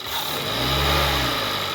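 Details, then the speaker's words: 2018 Hyundai Tucson, about 118,000 miles, loss of power with no check engine light; air box off, helper raises rpm. Muffled, strained note that won't climb freely; pressure gauge shows restricted exhaust, catalytic converter suspected. "yep it's a done deal this thing has a restricted exhaust i got my money on the catalytic converter"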